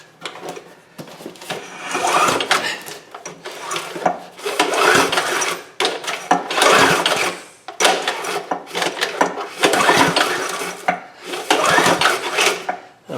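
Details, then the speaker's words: 2008 Homelite HG1800A 1800 W portable generator: several rope pulls, no fire. No spark because the on/off switch is mislabeled, so the marked "on" position actually kills the ignition. "there's something with this switch that it's been labeled with a paint pen on and off that's not correct so when I put it down in on I wasn't getting any Spark"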